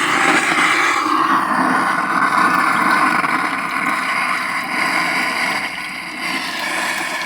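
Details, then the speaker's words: Dollar Tree Bluetooth speaker after being submerged: playback is muddy, rough and buzzy with water sloshing inside the enclosure; water likely got into the control circuitry too. "This thing's not Oh gosh, it's not happy. And uh you can hear the water slashing around inside of it."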